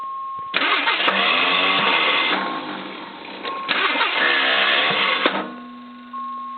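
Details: AMC Eagle with intermittent hard starts, solenoid tested OK: two loud, high whirring bursts of about two seconds with no crank or catch, the worst it has sounded; the starter spins without engaging.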